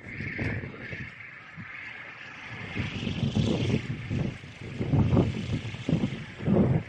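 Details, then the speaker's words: Roof-mounted M3 1.2 kW 48V wind turbine in 7-8 m/s wind, heard outdoors, thrown side to side by a too-short tail: wavering high whine over gusty wind roar; noisy in the yard, inaudible indoors. "hałasuje no słychać go na podwórku niestety Aczkolwiek mi osobiście bo nie wiem to nie przeszkadzało bo w domu nie słychać nic kompletnie przez zamknięte oknie"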